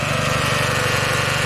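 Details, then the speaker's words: 1997 Honda Civic after partial engine rebuild, on jumper with charging voltage at 14 V: fast, regular ticking pulse with a rubbing edge over a buzzy idle; owner suspects the belt rubbing the timing cover, unconfirmed. "I don't know what that sound is. And my only bet is like in here, the timing cover, that the it sounds like the belt's rubbing against it, but I don't know how that's possible. It sounds weird."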